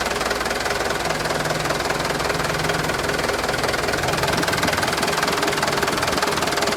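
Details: 2013 HD 125 PS used truck diesel engine at idle: steady, even, crisp clatter at a firm regular beat, no misses or knocks; complete and dry ("perpak garing"), engine healthy; normal idle.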